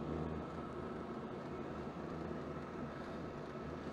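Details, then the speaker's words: Chinese air heater (China-Heizung), after a quarter hour running, turned down from 3.5 Hz to 2 Hz then 1.1 Hz pump frequency: loud steady low rumble with faint hum, running rough; owner plans to fit a 16 pump; heater rumble. "jetzt fahren wir die mal runter 2 Herz und dann auch mal runter auf 1,1 ah hör das und schon wieder macht sie schon wieder macht sie Probleme ne"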